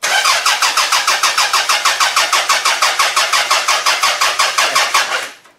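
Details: Toyota Camry demolition derby car, third day not running, OBD1 bypass done: even cranking about three turns a second for five seconds, never fires; crank no start, fuel smelled, later traced to no power to the computer.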